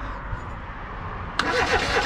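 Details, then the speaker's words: 1988 Reliant Rialto that had not been starting or running: starter turns the engine over in a steady rhythm but it never catches; spark is present, so fuel delivery is suspected, brake cleaner to be tried. "it's cranking so that's good"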